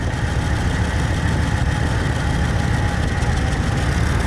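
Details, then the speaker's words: Cheap old truck started in spring after sitting about five months, battery just reinstalled: deep, lumpy idle with an occasional miss that gets smoother as it runs; owner notes a leak on one side, cause of the miss unknown. "yeah i wonder what that is what do you guys think that is that little miss let me know in the comments what you think that little missing is but notice it's getting smoother"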